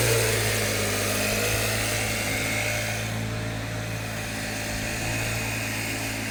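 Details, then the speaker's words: Cheap Troy-Bilt two-stroke backpack blower, Seafoam-treated with a new carburetor still on order, worn on the back. It started first pull and gives a smooth, constant high-pitched drone with fan rush and no stumbles or surging: normal running. "Well, boys and girls, she started first pull, and it sounds good now that it's on my back."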